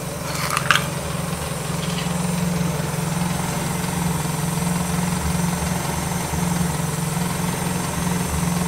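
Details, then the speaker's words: 1994 Miata NA with 2000 NB engine on Megasquirt and EDIS-4, first-start session, restarted to trace an unlocated coolant leak; steady even low idle with no misses or hunting, smooth consistent beat: normal idle. "well I'm gonna call this a success I guess I'll sort out that coolant leak when when I figure it out but overall she's running pretty good for a first start"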